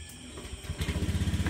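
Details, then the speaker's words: Honda Beat scooter after CVT repair with new bell fitted: engine catches and settles into an even, quiet low thump with no transmission rattle, much quieter than before. "Ayun. So napakatahimik na po mga bossing."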